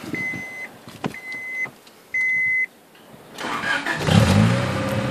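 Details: Honda Del Sol just after replacing the spark plugs: a few short beeps, then a quick crank that turns faster than before. The engine catches promptly and settles into a steady idle; a healthy start.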